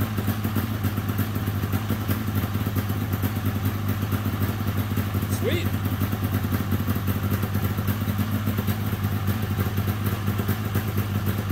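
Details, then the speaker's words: 1997 Polaris XCR 440 liquid-cooled twin two-stroke snowmobile, first start after sitting, premix poured in plugs and fuel: steady, even idle with smooth low burble, no knocks or misses; carbs may not need rebuilding. "don't even know if I'll have to pull those carbs apart it's idling it sounds good"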